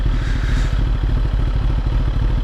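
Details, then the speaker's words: Sport motorcycle after an ECU flash removing factory restrictions, with a Power Commander V and Autotune per-gear map: fast, even low thump at idle with no stumbles. A smooth, healthy idle. "you hear that idol you hear how smooth that idol is now"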